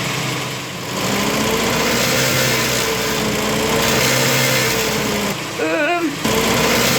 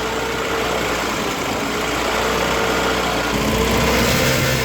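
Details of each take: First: 1972 MG Midget with 1275 engine, idling before the repair: a loose, buzzy metallic rattle from the heat shield near the throttle body, with one spring missing and old springs worn. Fixed with new springs. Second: 1972 MG Midget 1275 engine idling evenly with a steady, smooth beat and no rattle, after replacing the missing and worn throttle springs and the gaskets.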